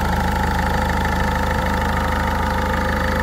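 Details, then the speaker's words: 1.6 HDI diesel restarted after replacing all injector seals. Before, a leak and a badly seized injector caused a whistle. Now it gives a smooth, even idle with a low pulse of about 130 per minute and no whistle or hiss. "je vais la redémarrer voilà elle redémarre sans problème donc sur ce côté là on entendait au début avant de monter c'est normal parce qu'il y avait une fuite"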